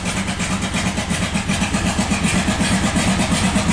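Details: 1997 Buick Century 3.1 V6 at full throttle with the oil light on: lumpy, uneven pulsing at about three beats a second, barely firing on a cylinder or two. Severe misfire.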